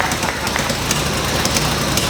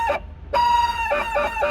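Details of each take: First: 1977 Porsche 911S Targa barn find, not run in about 7 years, just started after a timing correction: engine runs continuously with a busy, slightly uneven chatter while warming, not yet at operating temperature; running with a slightly rough idle. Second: 1977 Porsche 911S Targa barn find, which had sat about 7 years: short rooster-like squawks repeating on and off at a steady mid-high pitch over a quiet idle; believed to be the fan trying to engage.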